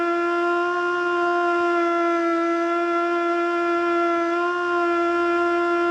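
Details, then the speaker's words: Older Federal Signal Model 2 siren (old CD box), Princeton NE, alert test: steady tone holds below full pitch with slight waver; rotor not spinning up fully; owner suspects worn brushes. "holy crap man that thing needs some help oh my gosh that model that poor model too that thing needs some serious help that thing is sick"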